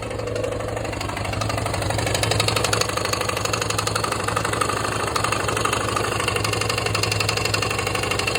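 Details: Yamaha XT/TT600 single at idle after new piston and new slider block: uneven metallic knocking about four per second over the thumping idle; source still unknown.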